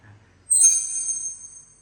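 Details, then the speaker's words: Microphone wired straight into the mixer, not through the FBX Z-Z feedback suppressor, and brought close to the speaker: a sudden piercing high whistle holds steady then slowly fades. This is mic-to-speaker feedback howl before adding the suppressor. "ตอนนี้ดังนะครับไมค์ต่อตรงไม่ได้ผ่านเจ้าfbxนะครับผมจะเอาไมค์มาตรงโพนะทีนี้อ่าหยุดระยะระยะประมาณหอนนะครับหอน"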